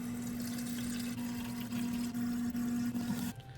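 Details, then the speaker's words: KitchenAid/Whirlpool under-counter ice maker in diagnostic mode, after the recirculation pump was replaced, running the fill portion. Steady water rush with a strong constant buzz from the fill valve, then a clean cutoff; normal water fill. "But anyways, we're going to get to the fill portion of it, and she's going to fill up for us."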